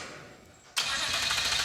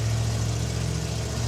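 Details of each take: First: 1974 Mazda RPU "Mazdarati 2.0" with a turbocharged mid-mounted 5.3L LS4 catches and screams to unchecked high revs; throttle stuck wide open. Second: 1974 Mazda RPU mini-truck with mid-mounted 5.3L LS4 V8, carburetted, freshly rewired: fires after two pumps and holds a steady, even low rumble with no knocks, ticks or stumbles; normal healthy idle.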